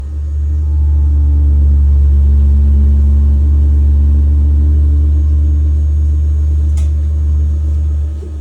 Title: Biasi boiler making noise